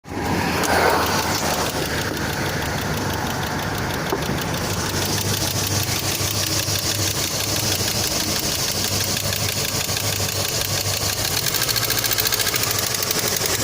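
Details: Great Wall engine at idle with a fast, light ticking knock keeping pace with engine speed; engine knock, cause not yet identified.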